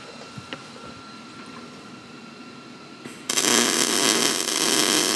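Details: 1988 Chevy Silverado frame being repaired during strip-down, after lowering wire speed and heat slightly: near silence, then even, steady frying MIG crackle about three seconds in that holds smooth; normal weld, some areas not fully penetrated.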